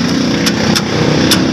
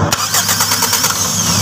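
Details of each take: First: 1992 Toyota Corolla small-body will not start: sharp, irregular single clicks, about five in two seconds, with no cranking. The starter solenoid gets too weak a feed on its start line from the key switch. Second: 1992 Toyota Corolla small body, starter wired directly past the weak key supply to the solenoid: strong, even cranking in long bursts; fault was only clicking due to weak supply from the key, fix is adding a relay.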